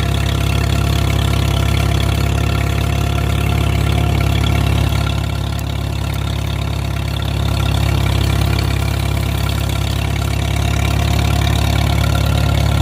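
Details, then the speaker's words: Farmall M tractor engine running normally after a loose ignition wire was re-crimped, now fed through a new double fuel-filter setup, not yet under load: deep, steady throaty beat at even speed with no misses or stumbles. "Sounds nice and throaty."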